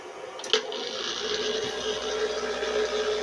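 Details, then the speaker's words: A 200 W blender, connected directly to a single 450 W solar panel, runs at about 47 V with a faint, steady, even motor whir and hiss under no load; it is running normally. "अगला है ब्लेंडर। 200 वॉट का। जैसा कि आप देख सकते हैं, हम इसे सीधे कनेक्ट करते हैं।"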